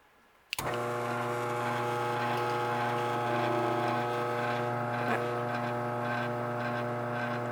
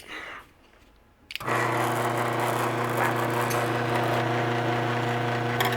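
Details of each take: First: Garage door opener motor, set on a towel: starts sharply and holds a steady, even hum without rattle or grinding; normal quiet motor run. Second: Garage door opener motor run on a hard bench: loud buzzing drone with a steady fast rattle as vibration drums through the surface; it is quiet when set on a towel, so the noise is the mounting surface resonating.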